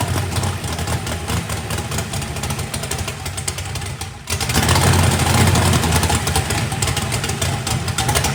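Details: First fire-up of a freshly built 409ci small-block Chevy race engine, warming up: even steady V8 idle, then a clean rev that swells and holds smoothly, no knocks. Good oil pressure (oil pressure spring shimmed). Normal.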